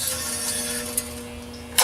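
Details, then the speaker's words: Detroit Power bench grinder that stopped starting after earlier wire-brush use: steady electrical hum with faint ticks, motor energised but won't spin; owner suspects loose wire or internal motor fault, switch thought unlikely. "I can hear it humming it almost tries to move a little bit but it won't even spin"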